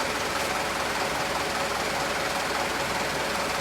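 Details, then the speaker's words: Used 2013 HD 125 diesel truck being inspected before purchase: even idle clatter, about two to three beats a second, no uneven knock; engine sounds good; normal idle. "yang kita cari-cari ini seperti ini dari suara udah kedengaran Enak suaranya enak Lur ya"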